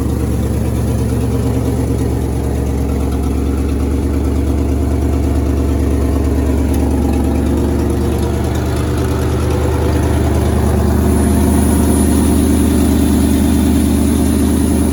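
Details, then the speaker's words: 1963 International Loadstar 1800, first run in 20+ years, air brakes building pressure: steady, even idle with a smooth low rumble and no knocks or ticks. The oil gauge reads nothing; it is slightly smoky, and the owner suspects a tired motor or the compressor. "Oil pressure's not really doing anything, but I don't hear it knocking, so we must be good. They've added in another tack, and that one works. Man, she don't sound too bad though."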